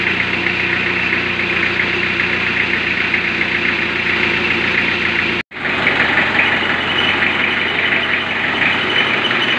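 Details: 1991 Isuzu Panther diesel warming up, engine said by mechanics to be still good: steady, even diesel clatter at idle with no misses or knocks; normal diesel idle.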